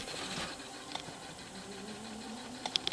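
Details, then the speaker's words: Sony MDP-555SA laserdisc player, bought used and sold as working: as the disc spins up there is a rising whir, then sharp clicks and rattles before it stops. It does not play. "Well, that doesn't sound good. Pretty noisy. And stop. So this player does have a problem."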